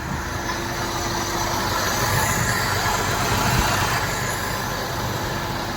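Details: Maruti Suzuki WagonR with AC on, after removing a plastic polythene piece being sucked into the radiator fan: steady, even running hum, fan vibration and noise gone, no rattle or buzzing; normal radiator cooling fan operation.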